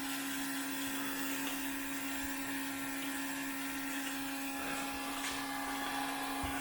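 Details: Fuel pump running on a 2002 6.0L drive-by-cable LS V8 during leak check: steady even mid-pitched whine; suspected leak was only fogging-oil overspray, system sealed and normal.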